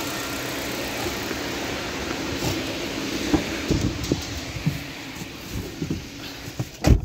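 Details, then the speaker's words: Nissan Sentra at 131,860 km, after a P0302 cylinder 2 misfire caused by a spark plug missing its electrode tip was fixed by replacing the plug and clearing codes: a steady, even note with throttle, no stumble or shake. Normal running. "so wala na tayong misfire so Ayos na Ong ating centra wala ng mpire wala ng palag"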